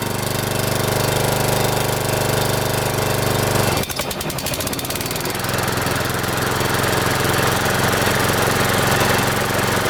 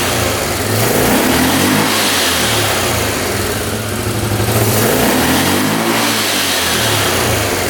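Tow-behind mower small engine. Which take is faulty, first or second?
first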